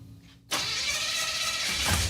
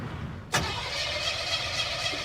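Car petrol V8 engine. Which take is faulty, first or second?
second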